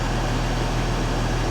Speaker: But it runs, and just listen to it when it revs. It sounds good. It sounds really good.